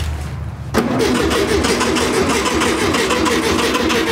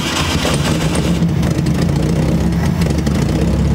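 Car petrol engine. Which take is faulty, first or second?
first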